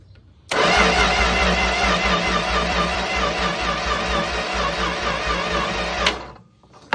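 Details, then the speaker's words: 1962 Plymouth Valiant abandoned about 40 years, cranked with a remote starter button, power confirmed at the coil: steady starter grinding for about five seconds, no firing. Only a little spark; points need sanding. Crank no start, weak spark from dirty points. "I am getting a little bit of sparks out of there, but I'm going to have to get some sandpaper and sand those points."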